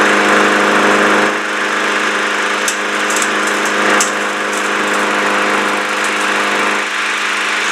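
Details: Lawn mower small engine that wouldn't start, running after a flathead-screwdriver adjustment (engine won't fire without oxygen) and a five-time prime, clutch held: a steady even buzzing run with no misses or surging. Sounds healthy.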